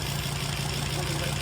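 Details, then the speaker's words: Volvo XC90 diesel from engine failure (seized engine), replacement engine fitted with fresh oil, oil filter, air filter, recent cam belt, tensioners and pulleys, warming up at idle: regular knocking, about seven or eight a second, while oil builds up; cause unconfirmed. "so let that warm up tick over now you can just hear that knocking knife we'll get the oil built up in that"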